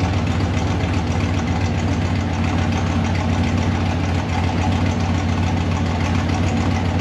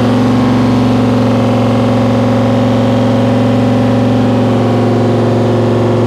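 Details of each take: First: 1955 Chevy Nomad small block Chevy with tunnel ram and dual Holley Sniper fuel injection, steady deep idle then fast revs, even rumble without knock or miss; one spark plug had been left loose earlier. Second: 1955 Chevy Nomad, small-block Chevy with tunnel ram and dual Holley Sniper EFI, on first start. It holds a fast, steady drone around 2700 rpm, far above idle; the tuner apparently forgot its settings.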